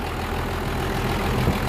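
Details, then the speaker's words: 1975 International truck with a 12-valve swap and a new VE injection pump, after contaminated fuel ruined the pump and two injectors. Deep, even diesel idle with no misses or smoke, belt cracking; normal diesel idle. "let's fire it up she runs let's look at it all right so the new pump's in and the belt is cracking right now"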